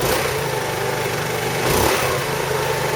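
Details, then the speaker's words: 2008 Roketa Sicily 150 scooter, small single, electric choke: uneven stumbling, surging rough idle; roughness starts once warm. Owner suspects a carburetor or intake manifold leak and will spray carb cleaner around the carburetor to check. "I'm going to leave it running and I'm going to spray around um the carburetor with carburetor cleaner and see if the idle uh changes if it does it's got a leak in that area"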